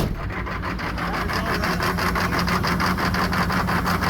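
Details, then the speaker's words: 1990s Chevrolet K3500 1-ton diesel pickup, revived after sitting, just started at about 50°F: loud clatter with lumpy, uneven idle sounding like a big cam, started rough and smoky; not normal, cause unconfirmed. "also listen to how this thing idles it sounds like it has a giant cam in it and it is not supposed to sound like that"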